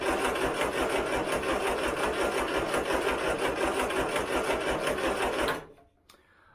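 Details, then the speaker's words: Turner Ranger tractor, 1098cc A-series petrol engine, in neutral with hand throttle cracked: starter churns slowly, about three beats a second, without catching; a weak, corroded battery is suspected, and a jump pack is needed. "I think this battery is not the best you can see it's corroded"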